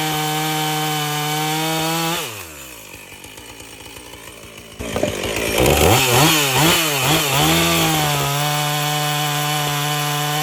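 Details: Husqvarna 450 chainsaw after rebuild and Hipa plug: full-throttle scream dips and wavers as the chain bites wood, then climbs straight back; clean running.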